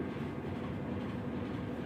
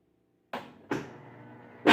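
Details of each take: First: Whirlpool Expert System digital 18 kg top-load washer, after replacing the worn clutch that caused very loud noise when spinning: steady, even low rumble with no knocking, grinding or squeal; spins quietly and sounds healthy. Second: Whirlpool Xpert System digital 18 kg washer: two clicks then a very loud harsh clatter as it shifts into spin after draining, while washing is fine; clunking from worn clutch gear teeth.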